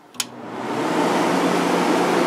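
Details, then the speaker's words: Fedders 7500 BTU window air conditioner, fan only on high with the compressor not yet started: a click, then a smooth rush of air. Its fan spins faster and draws noticeably more power than the other 7500 unit; normal operation. "this thing really spins fast on high speed there's a lot of [Music] air"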